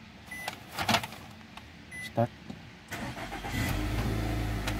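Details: 2021 Nissan Altima that had no crank and no start, after IPDM replacement and configuration: brief crank, then it catches within a second and settles into a steady, even idle. Normal engine start.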